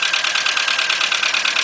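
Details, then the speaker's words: VW Beetle/Golf/Jetta 2.0, bought used, idling under the hood after fuel pump replacement: rough, uneven stumbling tick-and-puff idle; misfire, owner suspects original spark plug wires, not diagnosed. "all right I got a I got a check engine like flashing so computer definitely got a misfire here"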